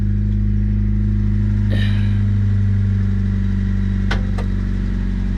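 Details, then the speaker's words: 1997 Honda Civic, 220,000 miles, burns oil and was run with only about half a quart in it: dull, uneven bottom-end knock about three a second, faint at idle and clearer when revved; rod knock. "it's a rod knock, and it's not very noticeable when it's just running, but when you rev the engine you can hear it."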